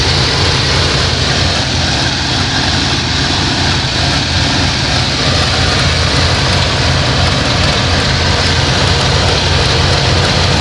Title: Whats that clicking sound? 1988 Plymouth Gran Fury